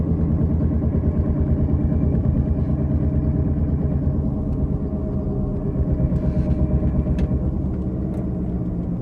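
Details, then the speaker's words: 2018 Toyota Camry XSE V6 driving: steady low droning hum that rises with speed and when the steering is turned; mechanic diagnosed a worn front wheel bearing, and replacing it eliminated the noise. "Basically, the mechanic said the sound that I'm hearing is the wheel bearing sound."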